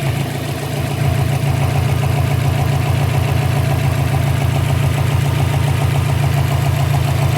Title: 2012 Subaru Impreza WRX Engine idle popping noise - loose intake manifold